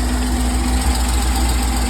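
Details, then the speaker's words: 1999 C5 Corvette (1999) idling after oil pan gasket replacement, subframe still lowered, PCV valve still to do: steady deep even idle, low rumble, no stumbles or knocks, no engine lights, no leaks; normal idle. "fin I got running no engine lights ignore the sign it's outdated no leaks"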